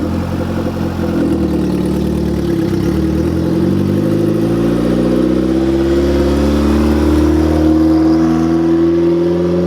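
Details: Honda Civic EG with freshly installed turbo, first start, put in neutral to let revs drop by themselves: revs fall away smoothly and settle into a steady, even idle without stumbling or stalling.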